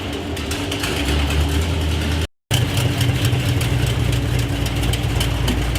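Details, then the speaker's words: 1973 Plymouth Road Runner big-block V8 with automatic and roller-bearing crankshaft, exhaust just fitted, first test drive: rapid light metallic valve-train ticking above a rumbling idle, keeping pace with engine speed; fast tick, not bottom end, from a loose rocker adjusting nut. "I started hearing like a nasty valve ticking sound whatever I knew it wasn't the bottom end because it was like a fast tick"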